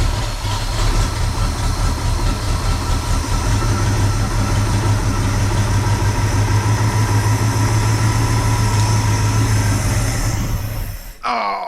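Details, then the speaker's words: 1974 International pickup V8 run after sitting for years, points cleaned, Seafoam in fuel, about a quart low: lumpy, uneven idle that sags and stumbles, sounding like it's choking. Cause suspected, not confirmed. "sounds like she's actually kind of choking"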